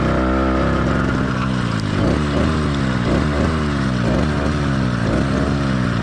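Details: Cheap two-stroke motorized bike kit engine, single-circuit carburetor at about half choke to simulate an excessively rich mix: lumpy, surging, blubbery firing skipping every other beat, sluggish, rough, idle wanting to die; four-stroking from over-rich mixture.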